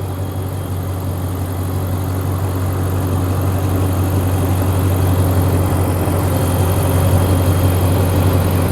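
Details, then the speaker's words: Ram 1500 petrol truck in for hard-to-turn electric steering, with the dealer blaming the electric rack: a steady, even, low idle hum with no knocks, ticks or misses. The engine sounds healthy. "this is a 1500 truck so it's not diesel this engine sounds good"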